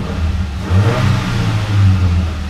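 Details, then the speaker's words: 2007 Ford Ranger at 160,000 miles after replacing the coil pack, on a 113-degree day. A deep, smooth note rises and falls on throttle blips with no misfire and no codes showing: normal revving. "so she's running good I don't see any any codes that are popping out"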